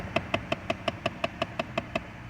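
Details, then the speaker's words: Chrysler 200 at startup, from under the dash behind the glove box: sharp, even clicks about five or six a second, also when toggling heat or A/C; failing HVAC heater blend door actuator. "is okay so that was the noise every time I turn my car on you get that awful clicking noise"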